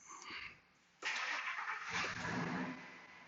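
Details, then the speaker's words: 2003 Ford F-150 Harley-Davidson 5.4 with an intermittent long-crank fault under PCM diagnosis: engine fires immediately with no drawn-out cranking and settles into a steady run, injection time present. Normal start; long crank recurs on other attempts. "you saw the car is running we have a action time everything is there"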